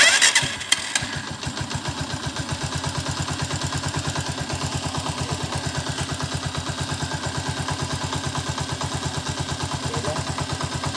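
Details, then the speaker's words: Honda TMX 125 motorcycle after valve clearance adjustment to the standard 0.08 mm: cold start settling into a steady idle with a light, even tapping from the top end. This is normal valve tick, and clearance changes as the alloy cylinder head warms and expands. "yan Yung kanyang tunog normal na ano na bariran 0.08 k mapapansin niyo meron siyang konting lagitik"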